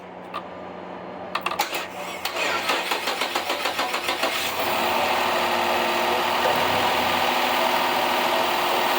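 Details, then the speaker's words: 2007 Dodge Charger V6, previously misfiring on the passenger bank, after timing belt, water pump and tensioner replacement with a cam re-timed; the starter churns, then it fires into a steady, even idle with all cylinders hitting; normal idle. "That right there sounds like all the cylinders are hitting, so that could be, I really think that's our problem."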